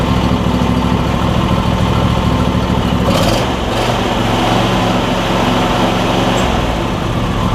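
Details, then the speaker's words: Replacement Briggs and Stratton V-twin on a John Deere E140, unrun for probably at least three years: steady, even beat with a firm low thrum, no misses or knocks; slight smoke, owner suspects oil in the muffler; normal running. "hopefully running excellent though it's running really good which is awesome"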